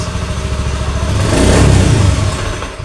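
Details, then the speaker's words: Honda Beat FI (digital, ACG) scooter: steady idle rises briefly on throttle, then fades and dies while the MIL blinks; blinking appears when the crankshaft position sensor wiring is wiggled; engine stalls on throttle from a broken sensor wire. "tuh mati pak Oke mati nah perhatikan baik-baik lampu mil di sini berkedip"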